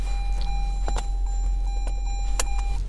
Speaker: Saya sebenarnya tidak perlu memakai sabuk pengaman di tempat parkir ini. Biar saya pasang dulu agar berhenti